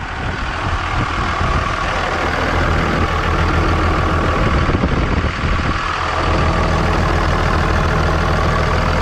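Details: 24 valve Cummins diesel in a school bus after lift pump replacement: deep steady idle rumble, even beat, no misses or knocks; running right, check engine light now off.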